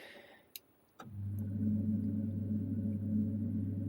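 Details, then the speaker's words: Boiler heating system motorised valve actuator, powered back on after work on it: faint click, then slow steady motor hum with quiet ticking, crawling even slower than before but eventually passing the lock-off point; low voltage reaching it suspected previously. "So what we will do is we'll just put that there and we'll power the system back on and see how quick it moves. That's going really slowly. That's going even slower than before."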